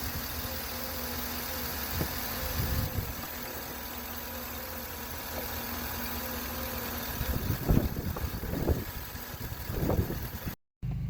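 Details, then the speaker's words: 2013 Chevy Suburban V8 after repair of lifter noise caused by low oil pressure, warm at mid temperature: steady low idle rumble, no lifter tick, oil pressure normal. "Está listo, ya terminada. Ya no hace ruido."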